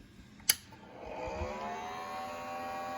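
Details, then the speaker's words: BIQU B1 3D printer: a click at switch-on, then one of its small internal cooling fans spins up into a loud, rough, steady high whine. The noise stops when that fan stops, so its bearings are suspected worn; the fan needs replacing. "makes a really bad noise. And at first I thought it was this fan, but see? When that fan stops, the noise stops. So it's like the bearings are shot."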